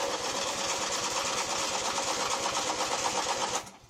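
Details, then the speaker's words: Freshly built Briggs opposed-twin pressure-lubricated engine cranking on a low, partly charged jumper-pack battery: even, slightly lazy pulses about three a second, spinning freely with about 40 psi oil pressure at cranking; normal cranking. "and yes this engine does have oil pressure uh at cranking i can crank it again for you just to show"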